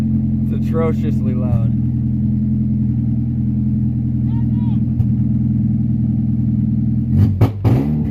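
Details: First start of a 1996 Honda Prelude Si with freshly installed H23a1 engine, running on old fuel, in neutral: loud uneven drone with stumbles, breaking up and misfiring; owner suspects old fuel, plans fresh fuel.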